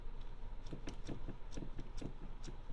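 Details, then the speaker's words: Kia Ceed, parked, steering wheel rocked side to side by one hand: hollow clunks, three or four a second, much less with the wheel fully lowered; recurring steering column knock, steering shaft looseness suspected, unconfirmed. "Стук какой-то вообще."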